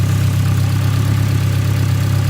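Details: Newly fitted engine during running-in, about 107 miles done; an earlier slight misfire and boost issue was noted, with no exhaust smoke. A steady low idle with an even pulse and no knocks or misses. Normal idle.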